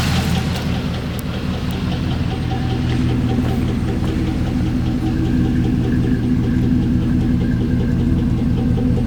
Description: This is what your SS sound like when you throw a rod.......good thing i purchased the warranty